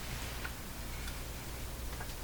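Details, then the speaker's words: Canadian Spartan 5542 radio record player, speakers unbaffled on bench: faint steady low hum under quiet output, changing slightly and vanishing with volume down; hum likely from wiring routed into the chassis, cartridge possibly weak. "Well, they both work. There is a slight hum. You can hear."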